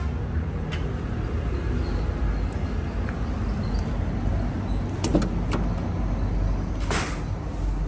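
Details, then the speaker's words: Chevrolet Cruze 1.8 after transmission whine repair, broken pieces found and removed: car runs with a low even rumble and no whine, now quiet; quiet automatic transmission. "Đấy, từ một đống hỗn độn em đã êm."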